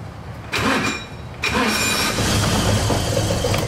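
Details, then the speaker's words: Kazuma Mammoth 800 side-by-side that sat outside about five years, with a melted fuse and connector previously fixed: two sharp solenoid clicks, then a ragged cranking churn; it doesn't always start; intermittent no-crank, solenoid suspected. "It doesn't always start. See? Look at it. See, it does that. You can hear it engage in the solenoid."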